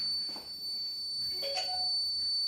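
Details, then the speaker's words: Kent Grand+ RO water purifier switched on: steady unbroken high-pitched beep with nothing else running. "तो हम on करके दिखाते हैं जो कंटिन्यू सबूत साउंड यह जो आप सुन रहे हैं"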